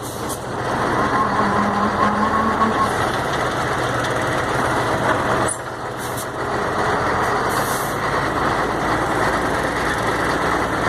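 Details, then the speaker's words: Mercedes-Benz MB 1634 diesel truck on road test after differential reassembly: steady engine and road rumble at cruise, no whine or clunk from rear axle; earlier ugly roar when lifting off the accelerator is gone, driveline normal. "acabou rapaz roncava feio você viu agora já acabou resolveu o problema"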